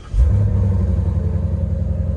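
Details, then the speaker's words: Auction car with actual 19,000 miles, in hot weather, AC running: catches with a quick blip, then settles into a deep, even V8 burble at idle; cranks up and shuts off with no problem, sounds healthy. "Sounds really good, for sure. Has no problem cranking up and shutting off, I'll tell you that."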